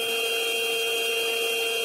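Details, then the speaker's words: One of five identical production gearboxes sounding different in comparative ultrasound testing: steady buzzing tones over a soft rushing hiss, faint bearing rotation in the background plus an odd electrical hum. "If you're unfamiliar with what bearings sound like, you can hear a little bit of the bearing in the background. There's some rotation happening there. Uh but you're also picking up kind of an odd electrical sound."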